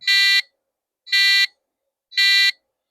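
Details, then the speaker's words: Retro 1993 PC motherboard at first power-on with the speaker connected gives three short, evenly spaced beeps; per the beep chart this means a base 64K memory failure. "That's three beeps. So, that means the motherboard is probably alive and it doesn't like something."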